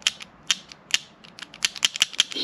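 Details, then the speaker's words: Blow-off valve removed from a Ford Fiesta ST 180, which the owner suspected was failing, before upgrading to a GFB vent-to-atmosphere valve: uneven dry clicks and scrapes as the plunger catches instead of sliding smoothly. "and then we change a plunger doesn't sound good anyway sounds like it's catching it's not smooth at"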